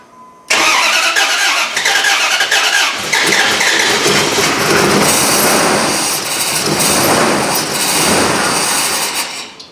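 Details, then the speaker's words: Jeep Grand Cherokee 4.7 HO engine swapped into Dodge Ram 1500, just re-timed, valve covers off, crank difference −1.3, PCM needs relearn: lumpy, uneven run with hollow beat, suggesting one cylinder not firing. "all right it runs i mean it doesn't sound great but you know what these things are funny they got to relearn the pcm and all that"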